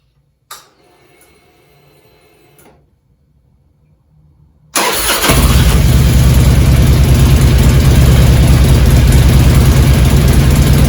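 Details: 2002 Harley-Davidson Road King Classic Twin Cam after cam chain tensioner replacement: the engine catches and settles into a deep, even lumpy idle with no chain rattle or slap. This is a normal idle; the cam chain noise is gone.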